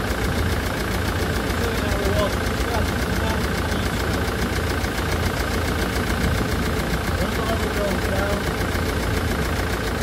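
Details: Land Rover Defender Puma 2.4 TDCi diesel, first start after rebuild with new wiring loom and oil pump, fuel and coolant bled, cold windy day: steady diesel clatter at even idle, no knocks or misfire, healthy-sounding.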